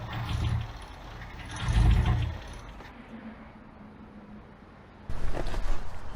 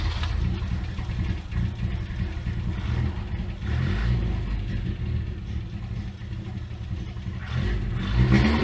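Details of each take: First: Abandoned Toyota AE86 on a hot day: several short bursts of even starter cranking that never fire or catch; timing then adjusted. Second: Abandoned Toyota AE86 after carburettor reset to known specs (primary main jet had not been flowing fuel), new spark plugs: engine fires, holds steady low rumble, revs up and settles back cleanly without stumbling.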